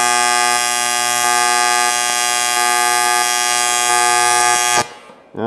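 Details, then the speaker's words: Arccaptain T200P TIG welder, pulsed AC on aluminum, about 160 and 120 settings, pedal wide open: steady high buzz with even rhythmic pulse about three times a second, lower pitch cooler, higher heating, then cut off; normal pulsed welding. "When it's the lower pitch and it's cooler, that's when you move, and then when it's going to be heating up, that's when you throw in a fill rod."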